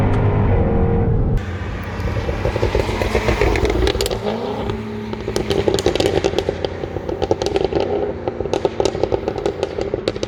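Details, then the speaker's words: 2015 Jaguar F-type R, rear-wheel drive 550 hp supercharged V8: deep exhaust revs and drops through downshifts to fourth and third around 4000 rpm, with crisp pops and crackles on the overrun; healthy normal exhaust note. "and I cannot make an f-type video without mentioning of course my favorite thing that would be the exhaust sound check it out"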